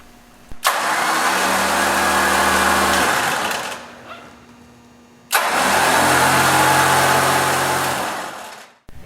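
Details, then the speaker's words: Warn PowerPlant Dual Force HP winch on a Jeep TJ bumper, post-install test spooling out a few feet of wire rope: two ~3-second runs of steady motor whir and constant-pitch gear whine, no grinding; normal winch operation. "Now flip the knob to winch and spool out a few feet of line to make sure everything is working properly."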